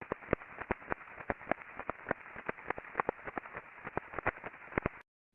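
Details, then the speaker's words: Conveyor combining-roll bearing flagged by ultrasound, crest factor rising to 25.42: sharp, uneven clip-clop knocks over a hiss, like a horse walking; teardown found a loose cage and damaged rolling elements. "yeah it sounded like a horse walking to me [Applause] yeah it's like a clippity clop but uh repetitive impacting going on so once they actually took this apart there was a lot of looseness in the cage"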